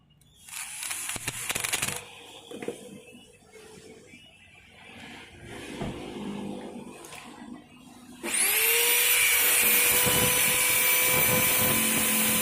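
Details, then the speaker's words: Makita HR2230 rotary hammer after repair for weak power, new 627 bearing and wave spring fitted, test run before bolting up: clean, steady high motor whine with no grinding or stutter; power restored, normal. "OK, great, the power has recovered again, now let's just bolt everything and for the concrete and drill settings, it's usually normal, okay?"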